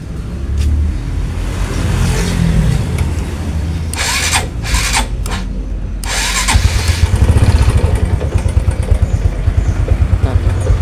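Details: Motorcycle with recurring dead batteries, charging check, battery 12 V before start: engine catches cleanly, settles to firm even idle, then revs smoothly; healthy.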